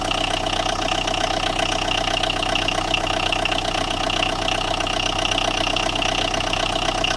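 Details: Tata Indigo with a starting problem, idling with a fast, steady tapping knock about three per second over the engine hum; knocking from inside the engine.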